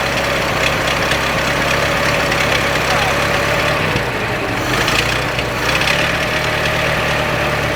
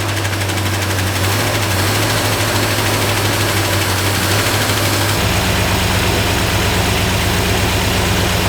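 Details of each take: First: 1926 Ford Model T four-cylinder after tightening the muffler underneath: slow, even idle with faint exhaust thump, no rattles or leaks; doesn't sound bad at all, normal idle. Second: Freshly installed 302 V8 in a 1969 Ford Fairlane at first start, checking for fuel leaks: lumpy, uneven idle with stumbling beat and irregular shake; engine has a miss, judged running on 7 or maybe 6 cylinders.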